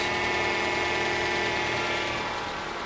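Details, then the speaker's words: 2011 Toyota RAV4 2AR-FE 2.5L four-cylinder with about 150,000 miles, first start after engine teardown for oil consumption. Smooth idle with fast, light ticking from hydraulic lifters not yet pumped up with oil, normal after sitting dry. "That noise you're hearing, lifters need to pump up. That is actually normal for the 2AR when you let it sit for a long time with no oil."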